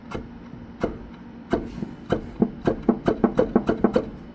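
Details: 2008 Ford F250: rough, uneven knocking and rasping that speeds up as the wheel turns. Suspected bad wheel bearing, not confirmed.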